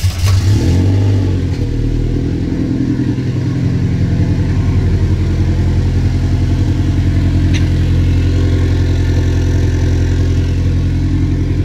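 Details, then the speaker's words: Subaru-swapped VW Beetle with twin-scroll turbo, first start after the swap, cold: loud, deep idle running a little high with an uneven, lumpy note, and it hesitates to rev until warmed up. "idle little high and it doesn't like to rev either until it's warmed up"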